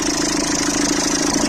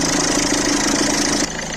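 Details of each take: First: Citroën C3 1.4 HDi diesel, cold idle after starter replacement. Steady chatter with a rattly mid-pitch buzz; the accessory belt tensioner (internal spring) is visibly shaking and failing. Plan: replace the tensioner and belt. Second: Citroën C3 1.4 HDi diesel after replacing the accessory belt tensioner and belt, started cold: steady idle with an even hum and no squeal or rattle from the belt side; noise gone, sounding quiet and healthy.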